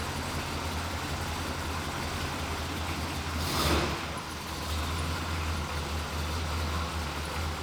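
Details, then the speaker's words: Square body dually with a newly fabricated full exhaust, old system having a rattling broken muffler: deep, steady exhaust burble with one brief blip mid-clip, no puffing or ticking leak; sealed and healthy. "that's definitely a 10. it has to go that's good stuff that's a hundred times better oh my gosh"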